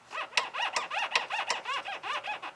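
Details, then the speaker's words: Older car, squeak returned as temperatures changed: sharp rubbery squeaks about three a second as the lower steering column knuckle is wiggled by hand. Source is a dry rubber steering column boot drawn into the firewall. "i've got a squeaker and that squeaker is up inside there's a boot it's a buddha boot there's a boot right there"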